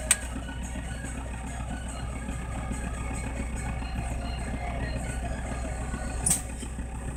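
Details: Toyota Land Cruiser HDJ80 diesel with mechanical injection pump and direct injection, just after a cold start at -20 °C: even clatter at cold idle, a steady low rumble with regular firing and no misses; running fine.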